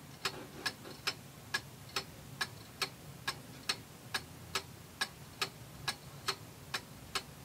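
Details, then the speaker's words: Antique Seikosha wall clock after movement reassembly: a crisp, even tick-tock at about 69 beats a minute with a quiet background. Normal ticking; the clock is in beat. "sounds pretty good. I'm an amateur. I'm not an expert, but that sounds pretty even."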